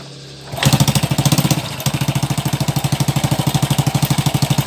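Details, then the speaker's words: Honda Supra X 100cc motorcycle with a new cylinder block that still smokes: a hard, clattering idle with rapid sharp beats and a coarse metallic edge, very rough and noisy. The cam chain is suspected but not confirmed. "Untuk di suara sangat kasar sekali, berisik sekali bunyi. Itu sepertinya bunyi di bagian keteng ya, atau rantai temeng."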